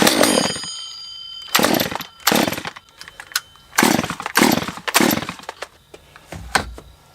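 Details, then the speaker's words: Stihl MS194T non-runner with fuel issues, off choke: fires in short ragged bursts with pops and dropouts, never settling; owner suspects it's sucking air, carburetor (Zama) problem suspected. Popping. "It's popping, so I know this is going to Zama."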